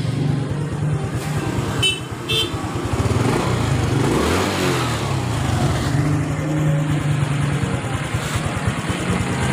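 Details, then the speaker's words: Honda Supra X 125 FI motorcycle after rebuild: the engine idles evenly and revs smoothly with no knock; the earlier rough noise came from a worn connecting rod, now replaced as a set. "bingung ini tiap suara mesin sudah halus kembali sudah normal ya berbeda dengan suara sebelum dibongkar"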